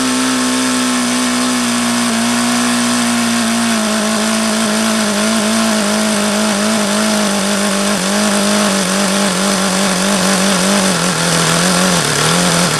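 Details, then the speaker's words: HP VT 21 rotary-valve four-stroke engine, bought used, same issue since day one: high buzzing note wanders and sags, never settling; leaning low-speed needle changes nothing, won't idle below about 4500 rpm, owner suspects rich low end. "why it sounds like no matter how much I lean that low speed out it doesn't change it always sounds crappy"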